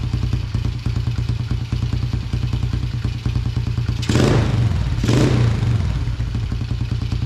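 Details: 2000 Yamaha TTR90 single-cylinder dirt bike, carburetor refitted after falling off, airbox off: popping idle, then two quick blips that stumble briefly before picking up; doggy on hard throttle, lean running suspected without the airbox.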